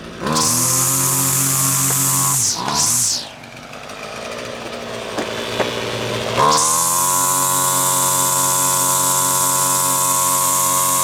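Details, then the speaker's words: Husqvarna two-stroke string trimmer after its carburetor was disassembled and reassembled (diaphragms serviced), tested with the air filter off: revs up, dips briefly to a lumpy idle, then holds a steady clean high buzz. High setting may need slight tweaking; otherwise normal running. "maybe some slight tweaking of the high still but that's about it yeah a okay I think that's got it I think that's got it"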